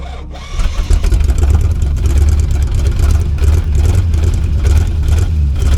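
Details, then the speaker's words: 1972 Chevy C50 big-block rollback, first start after sitting several years, on choke with the fuel pump powered: it catches after a brief crank and settles into a steady, even rumble with no knocks or misses; oil pressure is up and the battery is charging. "he's got oil pressure the battery's charging success"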